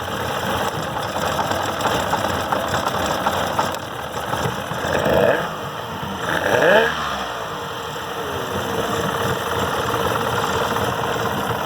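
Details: 1969 Evinrude 55 hp outboard started without choke, after an erratic-running fault was fixed by reattaching a ground wire: a steady idle with a brief rise and dip around a gear shift to neutral, then it settles without missing.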